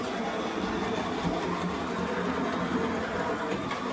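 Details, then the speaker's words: J52 locomotive running laps of the just-reassembled Leopard Street layout to check the track. A soft, even motor hum and steady wheel rumble with no stutter or hesitation; normal, healthy running. "Just also quite happy to go for a little run."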